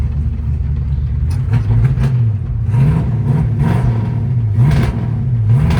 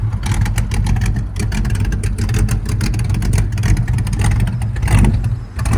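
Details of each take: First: 1968 Ford Fairlane 500 Fastback, first drive after sitting eight years, following a no-shift diagnosis: engine climbs in pitch, drops cleanly and climbs again through second and third; shifts normal, running barely, idle needs raising. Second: 1968 Ford Fairlane 500 Fastback automatic, sat eight years, first drive, engine running rich: revs climb and hang with no drop in pitch, so it stays in low gear. No upshift.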